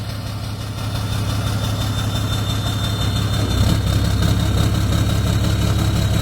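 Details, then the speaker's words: 6.7 Cummins hotshot truck, loaded idle in park: uneven, lumpy beat with a recurring stumble under the diesel rattle; no blow-by, kill test shows cylinder 2 dead from a failed injector. "All right, we got a 20, I think this one's a 17 with a slight miss on a Sunday. Really noticeable when you put it in park or in drive or reverse. Put a load on it."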